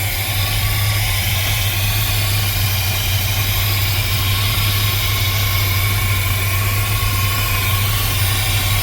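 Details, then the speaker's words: 1979 GMC C15 truck, EGR valve still fitted, first start after sitting parked; steady, even low rumble with a smooth beat and no knocks or misses; motor runs well; normal idle. "Oh, I think I got lucky, you guys. That motor runs good."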